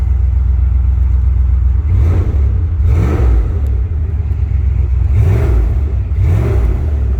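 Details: 1994 Jeep Grand Cherokee rock crawler with new radiator, hoses, water pump, power steering pump and timing chain, no leaks: smooth idle with four quick throttle blips rising and falling cleanly, no knock or hesitation; normal responsive free revving, runs cool.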